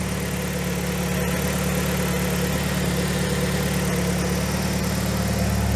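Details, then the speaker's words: 2004–2006 BMW 116i E87 N45 1.6L, first cold start after replacing both inlet and exhaust VANOS cam adjusters for a suspected top-end rattle: steady even idle, very quiet, no tapping or rattle, oil pressure fine; normal cold idle, not yet warmed up. "I must say it sounds very quiet."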